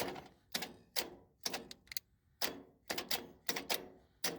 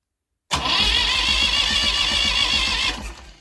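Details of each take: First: Massey Ferguson 35 diesel tractor that sat in the woods 20+ years, starter jumped with a temporary pressurized fuel tank; the starter drags the engine over slowly at about two compressions a second, too slow to build compression heat or fire. The starter is suspected to be failing. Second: Massey Ferguson 35 diesel tractor that sat in the woods 20+ years, cranking on a replacement starter with a battery needing charge: brisk, even cranking for about 2.5 s with no grinding, much healthier than the old starter.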